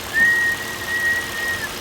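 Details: Volvo XC90 idling with a thin, high whistle coming and going: vacuum leak, air sucked in through a failed PCV oil trap; replacing the oil trap cured the noise.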